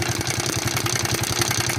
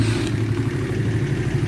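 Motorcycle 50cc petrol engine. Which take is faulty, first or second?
first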